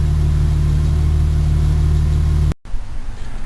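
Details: Restored 1953 Pontiac, old straight-six: steady, even low idle rumble with constant beat, no misses or knocks; idling cleanly.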